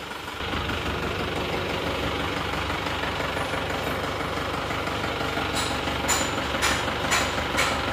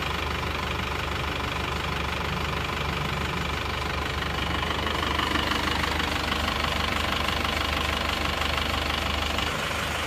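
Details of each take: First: Isuzu Panther Touring New diesel, before repair: loud rough idle with tak-tak tok-tok tapping and shaking; one cylinder suspected weak from nozzle, delivery valve or injection pump, oil-cap blow-by smoke; misfire. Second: Isuzu Panther Touring diesel idling after repair. Previously it ran rough and shook with a tak-tak noise; after new rings, head gasket, valve seals, crank seals and clutch, it now has an even, steady clatter with no tapping.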